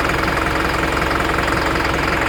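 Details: Isuzu NPR diesel idles with a harsh, steady knock and check engine light on, DTC P0202 injector circuit cylinder 2, suspected loose connection.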